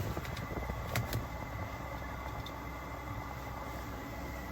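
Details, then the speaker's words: Webasto Airtop 2000 air heater newly fitted to a Citroen Ami, heard firing up with exhaust fumes at the rear: even, steady fan whoosh with low hum and a couple of brief early knocks; running normally. "oh I can hear it now fire up now yeah I can hear it I can smell these in fumes yeah so that's coming out the exhaust"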